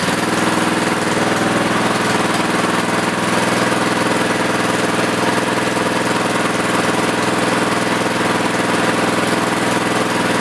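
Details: Plate compactor, previously not starting, carburetor main jet cleaned, running while idle is adjusted down: small single-cylinder engine steady even rapid thump, no misses; running fine.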